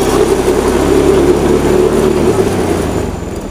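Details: Honda Beat FI scooter, previously sputtering and dying on throttle, after fuel pressure confirmed at normal 40 PSI: small single-cylinder engine idles smoothly with a steady, even beat and no misfire or stumbling; normal idle.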